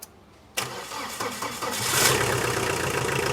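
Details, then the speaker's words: Tata Winger diesel with starting problem, after setting high-pressure pump timing: short pause, then fires on first try and settles to a steady clattering idle; starts normally, pump timing fine. "गाड़ी ये start हो चुकी है और गाड़ी का आप sound सुनो।"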